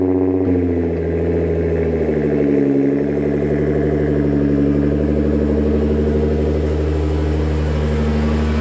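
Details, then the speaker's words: Nissan GTR R35, tune still being dialed in, with a recently replaced two-core radiator: a deep, steady idle with one quick throttle blip that settles straight back. The engine runs smooth and healthy. "Brian and I my tuner were still dialing this thing in and getting it absolutely 100% she rips it is super super fast"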